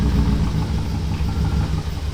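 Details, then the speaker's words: BMW E39 540i with V8, abandoned car being revived and converted to a manual transmission, idling fairly rough with a low, lumpy, uneven pulse right after first start; earlier possible engine knock noted, no check engine light. ">> It's idling, but it's running fairly rough right now. >> Yeah, it's not happy."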